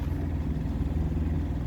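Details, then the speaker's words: 1995 Evinrude 112 SPL outboard with new plugs and plug wires, in low gear under load: lumpy, irregular beat, as if running on only a couple of cylinders. Spark test showed spark on all cylinders; cause unknown. "and you can hear it the engine almost sounds like it's only running on a couple cylinders so i did a spark test i was getting sparked from everything"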